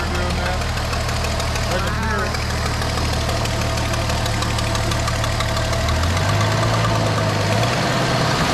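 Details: Barn-find 1973 Dodge Dart Swinger, 225 slant six, first run in 29 years, with fuel going to the carburetor: steady low rumble settling into a smooth idle that lifts slightly; no knock or miss.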